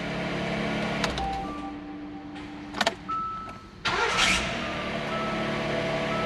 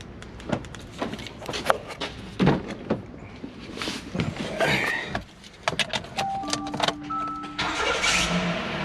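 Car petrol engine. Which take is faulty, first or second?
first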